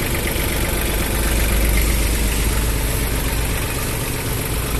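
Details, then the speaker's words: Mitsubishi MT221 tractor diesel engine at idle: even, steady chug with no knocks, misses or odd noises; engine runs smoothly and sounds healthy. "Ga ngay đó hả? Máy êm quá ha."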